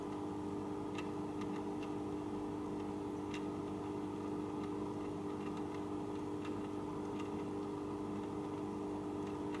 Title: JBL E1901 weird noise